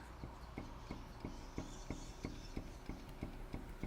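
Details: 2003 Volkswagen Golf 1.9 TDI, raised wheel rocked side to side with mic near it: sharp hollow clunks about three times a second with visible play from a worn track rod end, then replaced.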